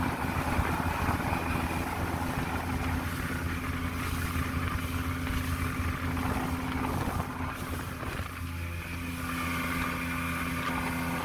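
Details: Mercury 150 Saltwater two-stroke outboard under way after trigger replacement (stator swap hadn't cured rough running around 2500 rpm): steady low drone rising cleanly with speed, no stumbling, running healthy.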